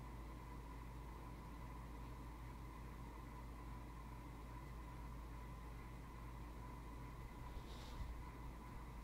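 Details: 42" Hampton Bay Landmark III ceiling fan, built June 2004: on medium speed a quiet steady hum with a thin constant buzz, motor buzz possibly present since about 2014, cause unclear.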